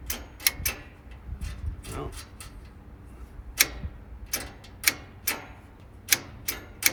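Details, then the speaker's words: 1948 Willys CJ2A Jeep that sat for decades, cranked on a 12 V battery with no coil hooked up: irregular sharp clicks and only a brief weak turn-over. A loose, suspect ground is the likely cause. "Well, it did turn over for a second, so that means we probably got a shitty ground somewhere, maybe. Yeah, I think that ground is a little suspect."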